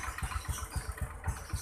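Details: Honda Supra X125 that would not start despite a new battery, after replacing a faulty starter button: engine catches right away and settles into an even low putter, about four beats a second, steady and healthy.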